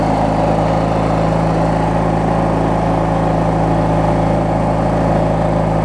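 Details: Craftsman LT1000 riding mower with a swapped-in opposed-twin engine, running after refueling and restarting; steady, even mid-pitched hum with no knocks or misses; twin idles smoothly, normal healthy idle.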